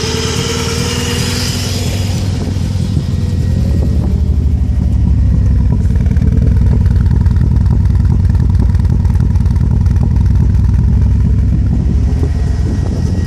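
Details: 1994 Subaru Impreza engine revving with an uneven, stumbling beat under the exhaust roar, a misfire; owner is unsure whether the coil pack or the MAF is the cause.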